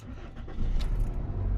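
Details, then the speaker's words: 2000 Toyota Corolla CE cold start with the check engine light on for the catalytic converter. The engine cranks, catches quickly and settles into a steady low idle with no loud noise. Owner says very cold early-morning starts make a loud noise. Normal cold start. "start off this video i'm going to hit this corolla with a cold start drake whoo all right cold start let's go"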